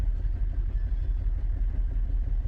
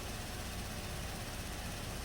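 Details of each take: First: 2017 Buick Enclave with water in the fuel tank, after flushing the high-pressure line: low, uneven idle that stumbles often, a misfire with flashing check engine light while water purges through the injectors. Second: 2017 Buick Enclave after purging water-contaminated fuel, at idle; steady even low rumble with no knocks or misses; rail pressure 580 matching desired, low-side fuel pressure about 57-60 psi, running fine now.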